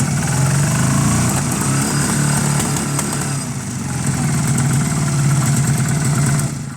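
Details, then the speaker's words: Honda CB250 twin bobber project, warm, carb known good, both cylinders firing: backfiring and popping; picks up slightly on small throttle then stumbles and wants to cut out when revved more; owner suspects timing or valve clearances. Engine stumbles when revved. "Now, if I put any revs into it, tiny little bits okay. Any more, and it just wants to cut out."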